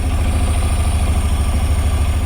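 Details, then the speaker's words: Honda NC750S (RC88, post-2016) with 105,801 km at idle before engine overhaul: low lumpy twin beat with a dry rapid rattle like a dry clutch; owner suspects the wet clutch, revs otherwise smooth. "You can hear a "rattling" sound while idling. It sounds like the dry clutch of an NSR, coming from a wet clutch engine. There may be some kind of problem with the clutch."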